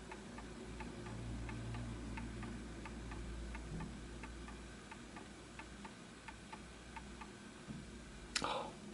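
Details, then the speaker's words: Antique Enfield Westminster chime mantle clock, fully wound, during pendulum and level adjustment: quiet, steady tick-tock with unevenly spaced beats. Slightly out of beat, probably needs a small nudge to the right. "Just a little bit off. So I believe it probably just needs a nudge a little bit to the right."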